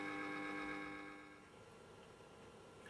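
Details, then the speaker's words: Restored 1930s Columbia record player motor on 240 V AC, first power-up: quiet, steady, even hum with a clean high tone that holds then fades; spinning smoothly, healthy. "aha it's going yes look it's working you can hear it pleasant humming sound excellent"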